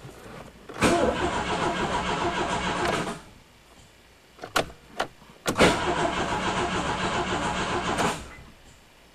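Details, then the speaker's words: Turbo Dodge Aries first start attempt after sitting six years, battery connection trouble beforehand; two long cranking bursts that never catch, no fuel pump whir heard, fuel pump suspected not running. "don't hear the fuel pump. Uh-oh, I think we need a fuel pump."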